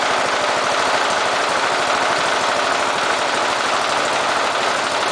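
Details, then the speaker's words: Briggs and Stratton engine fitted with an oxygen sensor, running a lean mixture at low idle: quick, uneven beat that stumbles and misses occasionally; engine prefers a slightly rich mixture. "however with the uh with a lean mixture this engine does not run very well so we have to you can hear it kind of uh pausing or or missing occasionally"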